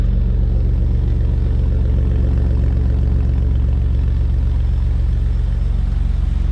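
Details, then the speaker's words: Chevrolet S10 Blazer engine at idle after replacing the spider injector, fitting the injectors to the correct cylinders and reusing the gaskets: a steady, even, smooth low rumble with no vibration or misfires. "fixed the spider injection. Running very smooth, no vibration, no misfires on the check engine soon light."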